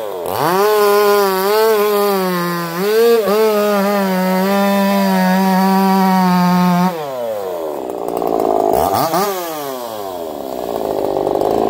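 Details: Echo CS-4910 chainsaw with taper-top piston/crank swap, test cuts: clean steady high scream holding pitch in the cut and spinning back up smoothly, no bogging or misfire; zero vibration felt; runs a little warm, about 180 psi cold, 170 warm; normal running under load.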